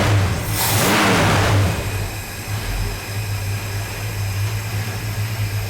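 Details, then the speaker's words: Barn-find 1965 Ford Falcon Sedan Delivery's old engine on first start, run briefly with no coolant: fires with a brief rev, then a slow, slightly uneven low idle. Owner suspects the carburetor and bad gas. "So, as we saw, it fired right up and idled. It's kind of low, but that's probably due to the carburetor and the bad gas."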